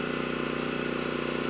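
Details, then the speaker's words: Titan TG8000Z generator, previously running only on starting fluid, running at about 60.8 Hz: a steady, even drone under load with no surging, healthy with good power output. "started right up sounds good surging is not an issue and handle the load just fine so we know the engine is good the power output's good"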